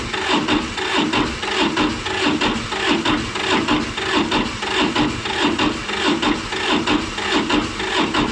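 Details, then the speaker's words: Massey Ferguson 205-4, 1.1L Toyosha S107 two-cylinder diesel, hard starting when cold, glow plugs apparently replaced: slow labored cranking about 94 strokes a minute, never fires; owner suspects battery wearing down. "sounds like the battery's wearing down a little bit I might have to jump start it"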